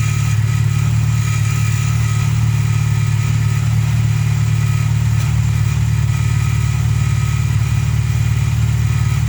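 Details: VW Polo Playa after fixing no-spark from snapped distributor plug wires with a new wiring loom, following a clutch change: steady, even idle with regular low pulse about four beats a second, no misfires or stumbles; healthy.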